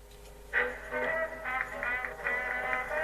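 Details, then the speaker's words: Sound A20 tape recorder with Collaro Tape Transcriptor deck, after deck repair (previously played poorly on two speeds): music plays back clean and steady with no wow, flutter or dropouts; normal tape playback. "so it's not gone bad it's actually works"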